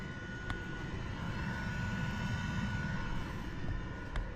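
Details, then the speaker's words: Planar Autoterm 2K diesel heater first start after storage, newly installed in ambulance, fuel system primed: steady low airplane-like roar with faint tone, burning clean, no smoke; normal running. "And it's burning clean. There's no crap on the outside. No smoke. That's a plan R auto term heater. They work really good."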